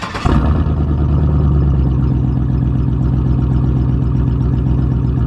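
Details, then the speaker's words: Problem daily-driver truck, test start after reassembly with the bed and bumper back on: quick crank, catches at once, settles into steady, even low idle with no knocks or misses; normal start and idle. "I just want to go ahead and start this bad boy up to make sure it doesn't have no problems now that I put it all back together."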